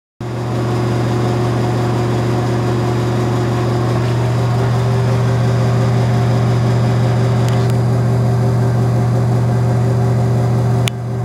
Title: Unknown Noisy Exhaust Fan